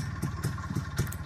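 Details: Izh Planeta 5 two-stroke motorcycle, hot engine: thumping running with sharp metallic clicks on some firing pulses, cylinder crackling when hot, suspected detonation knock (pinging); changing spark plug did not help; cause not confirmed.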